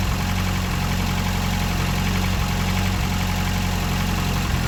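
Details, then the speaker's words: Ford Escort RS Turbo (restored), first start from stone-cold after sitting in the garage all winter, new exhaust and roller rocker arms fitted: deep, steady low rumble at an even beat with no knocks or misses; normal healthy cold idle. "so that's the first start from stone-cold"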